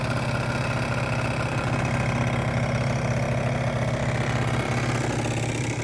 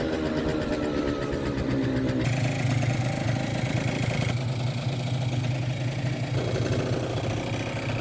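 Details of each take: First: 50cc two-stroke scooter idling hot, original airbox refitted: steady, even buzz with no rattle, bearing sounds good, little vibration; runs healthy. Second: Kymco 50cc two-stroke scooter with Koso 89 mm variator and 8 g rollers: wavering, uneven idle; mid-range dead, then it suddenly picks up. Fuel or carburettor suspected; owner later suspects a leaking cracked block.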